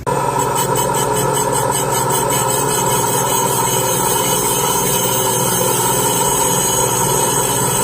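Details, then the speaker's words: Three-angle valve job on a 1997 Toyota Land Cruiser 1FZ-FE 4.5L cylinder head: high-speed seat grinder whine with choppy, pulsing chatter that smooths out once the valve seat is cutting true and no longer uneven. "So I just listen to that sound, and when it quits being uneven, you can hear it."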